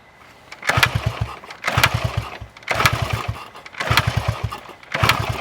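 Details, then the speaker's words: 1974 Honda XR75, 48 years old: five kicks about a second apart, compression chuffs dying away without firing; spark confirmed present but still cranks and won't start; air filter and carb jets checked next. "kick it over a few times to see what I get absolutely nothing so a check it for Spar there is Spar but still nothing"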